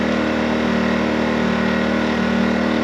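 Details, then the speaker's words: New Harbor Freight Predator 2000 W (1600 running watt) generator, oil topped up to full, at full speed before the 40 W light is loaded; steady, even drone at constant pitch with no surging or knocks; runs smoothly. "I mean, really not too bad. I'm I don't know 20T away. Maybe 25 ft away. Does not sound bad at all."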